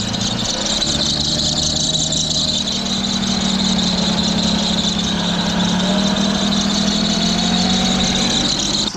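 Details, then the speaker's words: 2008 Audi Q7 3.6 after coil pack replacement and oil change. A loud, steady high-pitched squeal rides over the engine from start-up and holds its pitch; it sounds like a belt, unconfirmed. "sound like it's coming from a belt."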